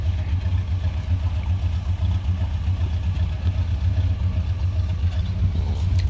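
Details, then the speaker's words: GMC Sierra 1500 at idle after work on the loose tailgate cable: low steady engine rumble with no squeak or rattle from the tailgate; squeaking gone. "Y'all don't hear nothing no more. Hopefully that did it right there."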